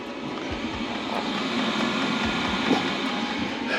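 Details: Hcalory diesel heater in a Promaster van, exhaust routed under the van, on a cold night, set to max level 10: steady, even blower roar with a low rumble, no surging or misfiring; running normally at full output.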